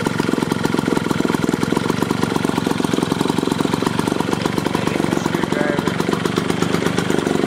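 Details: Small Clinton two-stroke lawn mower engine, removed from the mower and run on the bench after the carburetor was gone through: steady rapid popping buzz, even with no misses; runs healthy.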